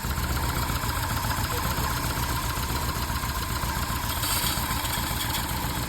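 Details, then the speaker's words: VW Golf 1 petrol engine at idle after timing belt replaced and retimed, now idling smoothly: faint scraping metal-on-metal or rubber-on-metal rub that comes and goes randomly; owner suspects alternator fan, cause unconfirmed. "mais euh à un moment on entend un frottement métal contre métal euh ou caoutchou contre métal, je sais pas mais il y a un truc qui frotte."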